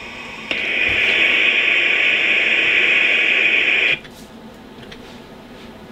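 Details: Rohde & Schwarz EK070 shortwave receiver, manual gain control test; even hiss rises sharply, holds about three seconds, then drops cleanly. Receiver noise normal, gain control works.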